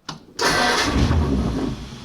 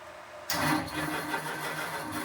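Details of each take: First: 1932 Ford roadster, first start: short crank then catches at once and settles into an even, steady idle; distributor set by guess to about 10 degrees advance, carburetor already set up, running good with little work needed. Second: 1932 roadster engine turned over for the first time, pumped gas: sluggish, labouring crank with uneven chug that never catches; starter said to be no good and voltage low, cause not confirmed.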